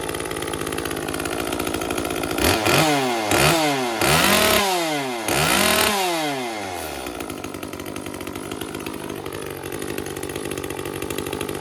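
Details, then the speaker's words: Echo CS-355 chainsaw after dealing with a badly clogged screen: four sharp throttle blips falling back to a burbly, blubbering idle; with both limiter-capped adjust screws at leanest preset settings it still runs a little rich, apparently set rich from the factory. "all right both of the adjust screws are at their absolute leanest preset settings and it still feels like it's a little on the rich side"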